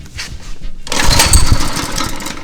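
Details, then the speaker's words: Old pull-start engine, long sitting: pull gives a solid compression thump but never fires; compression seems fine, suspected clogged carb or lack of fuel, not confirmed. "we might be able to get it this thing sounds like it wants to fire so it sounds like has compression sounds like it wants to fire"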